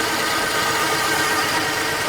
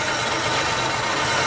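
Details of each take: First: 1950 Plymouth, after sitting a year or two, at idle right after new plug wires fixed a sparking problem: faint, steady high hum over an even idle with no knock or tick; source of the hum not identified. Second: 1950 Plymouth engine after sitting and a tune-up: even, smooth idle with a light steady whir on top, no miss or knock; a couple of perished plug wires found, lots of vacuum, normal idle.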